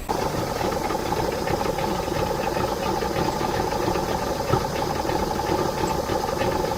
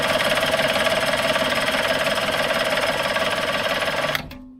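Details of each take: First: Circa-1985 Suzuki 85 hp two-stroke outboard, unrun for six years, after reviving and syncing its three carburetors with vacuum gauges: steady even idle with a light mechanical rattle, no surging or misses; normal idle. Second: Circa-1985 Suzuki 85 hp two-stroke outboard, unrun for 6 years, premix fuel drawn through the carbs: even cranking chug about three per second that never catches; fuel starvation from blocked carb jets.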